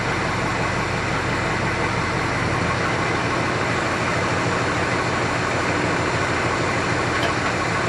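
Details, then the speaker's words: 1965 Chrysler 300 convertible, not driven for a couple of years, after replacing the worn-bushing points distributor with an electronic ignition conversion kit: steady, even idle hum with no misses, ticks or hunting, settled at about 770–780 rpm; normal idle. "Okay. So, our idle speed set at about 780. 770. That's pretty good. Pretty good idle speed."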